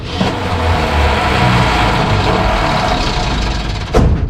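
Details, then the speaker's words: 1968 Ford F100 small-block V8, out of a junkyard after 12–13 years, cranking: heavy, ragged cranking with a sharp pop as it spits back without starting. Suspected wrong firing order, not confirmed. "We got the firing order off. Firing order's not right. Or it's not right. It wouldn't be spitting like that."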